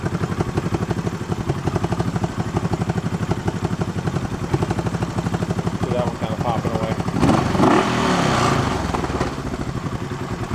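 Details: Barn-find 1971 Honda CB350 twin, revived from seized with bad carbs. Uneven idle with sharp pops through the exhaust beat. Exhaust popping, source not yet tracked down.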